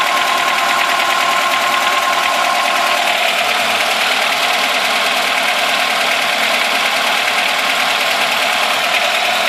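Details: VAZ 2106 at idle with the choke just pushed in: a rapid, slightly uneven metallic tapping of about three beats a second from the top end. The owner suspects the valves are knocking, but it is not confirmed.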